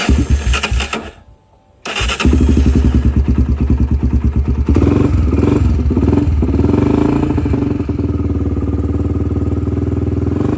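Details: Honda 300EX ATV first start in months, fuel turned on: pause, then catches into a steady single-cylinder thump with a slight blip of revs, running smoothly with no misfires; normal cold start.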